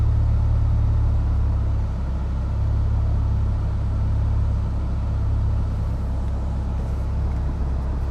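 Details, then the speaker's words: Honda with suspected idle trouble when AC is on, throttle body check: warm idle with AC and radiator fans running, low steady rumble with even fan whoosh, no hunting or stumbling; gauge around 1.5 then 1.1, sounds better. "Okay, it sounds better. I'm at 1.5 right now. Oil's good. Radiator fans kicked on. I'm at like 1.1."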